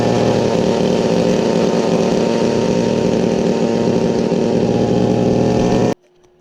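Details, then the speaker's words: Weed Eater Featherlite XT250 two-stroke trimmer after new primer bulb, cleaned gas tank and new fuel filter, started without choke: steady fast buzz at idle until it cuts off; high idle from throttle stop screw set too high, to be loosened. "Alright, so now you probably heard it idling a little loud. Right here, there's a little screw that you're going to want to loosen up. That's what holds this throttle pusher here."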